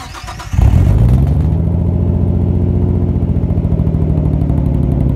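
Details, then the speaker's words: Nissan R34 started with the camera by the exhaust: lumpy, uneven idle with a deep offbeat thump from an ignition misfire, sounding like a Subaru, with lack of power; ticking is likely the exhaust hitting a heat shield or hanger. "All right, so I'm going to go ahead and start it up and I'll put the camera right by the exhaust so you guys can hear the misfire. Pretty much sounds like a Subaru and it has a lack of power."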